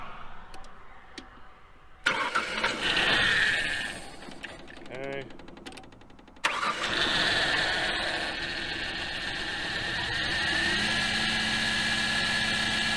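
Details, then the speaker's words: 1993 or 1994 Ford Aerostar 3.0 V6 after sitting 15 years; cranks and catches, then runs with a thin steady whine above the engine note creeping upward late, a bit whinier than before. Engine whine. "a little bit whinier now"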